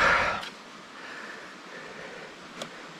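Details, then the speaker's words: Cube Agree C62 road bike, frame flexed hard at the rear: two sharp isolated ticks about two seconds apart; rigid axle rules out disc-pad contact, rear axle or hub area suspected, unconfirmed. "mocne przegięcie ramy tu No i cały czas nam się pojawia na zmianach siły tutaj jest sztywna oś Więc to nie jest tarcza dotykająca klocków czy coś bo tam nie ma zmian przy takim przeginaniu"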